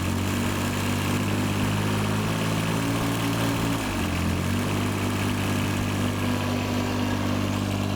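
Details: John Deere 755 compact utility tractor, Yanmar 3TN diesel, just rebuilt, after fixing shield interference: steady even idle with firm low beat and light loose-panel rattle; sounds way better, remaining noise just stuff rattling; normal idle.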